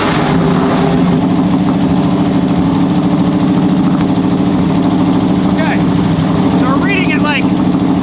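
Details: 1985 Chevrolet K20 V8, revived after years in a field, vacuum modulator line off the distributor while setting timing (about 18–19 degrees): steady, even idle, smooth low burble, no knocks or misses. Normal idle.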